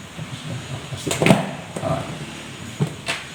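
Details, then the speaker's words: Sharp irregular cracks and pops over a wash of water as warm water melts an ice block around the evaporator fan of a Samsung two-door inverter fridge not cooling; ice had stopped the fan. "Sudah mulai teman-teman ya, masih bunyi bertak-bertak, itu berarti esnya masih ada karena kaget kena panas."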